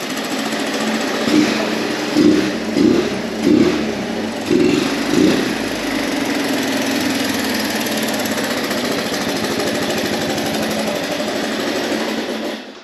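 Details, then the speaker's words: Abandoned 1983 Honda Big Red three-wheeler, possibly with a swapped engine, after carb work. It runs muffled and uneven with a few surges, then a dull drone, and shows no smoke despite two-stroke oil in the cylinder; the owner suspects a plugged exhaust. "okay so it sounds like this exhaust is plugged up this just doesn't seem right cuz on my Yamaha 225dx there's a lot of air that comes out"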